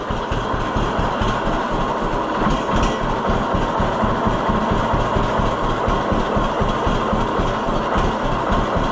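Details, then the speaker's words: 1948 John Deere B two-cylinder after Wico X magneto work: slow, even popping about four beats a second, no skips, idling probably lower than before; previously fired on one cylinder at times, now not missing; normal low idle. "I don't think it would have idled that low before. Yeah, I'm I think I think it did make a difference."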